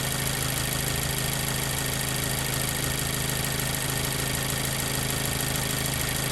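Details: 2014 Mazda 3 2.0L idling after all spark plugs were replaced to fix a cylinder 2 misfire (P0302) caused by a plug with double resistance: a smooth, even idle pulse with no stumble.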